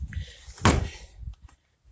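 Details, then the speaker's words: Renault Logan door after fitting homemade bushings on lock retainers and silicone grease to cure rattles and squeaks: single dull soft thud on closing, no clang or rattle; opens slightly stiff, normal quiet latching after repair. "Звук глухой. Открывается немного туго, но открывается."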